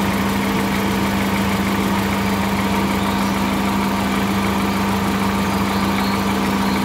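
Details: 2013 VW Voyage with the EA111 engine at even idle, with a constant low hum and a rough undertone from the bottom of the engine. A strange lower-engine noise, source not pinned down.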